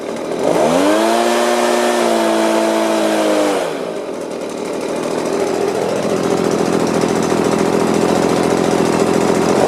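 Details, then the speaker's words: Stihl BG50 two-stroke blower brought in for hard starting and losing power, first test on the ground: starts easily, screams to full throttle, pitch wavering slightly at the very highest rpm; otherwise running pretty well. "Well, I'd say it's running pretty good. Just at the very, very high RPM, you can hear it kind of waver. But it started pretty easy."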